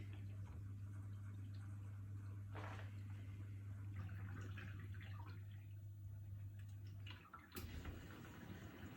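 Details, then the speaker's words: New Miele G7392SCVi dishwasher with AutoDos, Auto programme test after installation: steady low pump hum with water sloshing and splashing against the tub, then the pump pauses; normal quiet wash cycle. "There we go, so it's working away. Not too noisy really, there's some water sloshing sounds, but I mean that's to be expected really."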